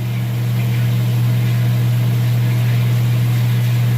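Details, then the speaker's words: Top-load washing machine with the lid switch held down by a screwdriver, running the spin cycle with the tub moving. A steady, even motor hum with no knocking, grinding or scraping; normal spin after the motor coupler repair. "as you can see here the washing machine is working if you see here I put it on the spin cycle and the tub is moving"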